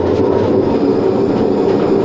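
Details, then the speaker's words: Hotpoint WM74 washing machine spinning at gentle speed gives a loud, steady roaring rumble with a droning hum and creak from worn drum bearings; the owner thinks the motor may also need work. "let's have a listen on a gentle gentle speed the bearings creak a bit"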